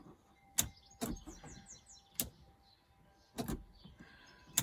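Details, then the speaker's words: Triumph TR7 electrics check with ignition on, light switch operated: five sharp dry clicks at irregular gaps of about a second in quiet background; light relays switching but no lights come on. "you can hear the relays going, but we've got nothing there."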